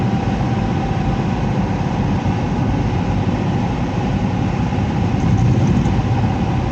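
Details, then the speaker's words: Heat pump with electric heat, top panel removed: heavy uneven low rumble running steadily with no speed change; the blower fan wheel is damaged and cannot be removed without ripping the whole unit apart. "fan wheel is all jacked up and even if I had to replace a fan wheel I couldn't get it off there without ripping the whole thing apart"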